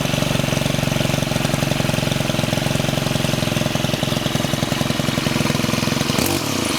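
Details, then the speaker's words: STIHL FS91R trimmer after clutch repair (head kept spinning at idle, common after sitting in damp storage): small two-stroke ticking over at an even, quick idle with a regular buzz; normal idle. "so now I'm going to start it up and the trimmer head should not spin when it's idling"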